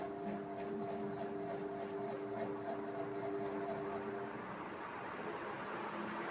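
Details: SK ceiling fan: steady, very loud droning hum with a few fixed tones over a soft rushing whoosh. Loud motor hum, cause unknown.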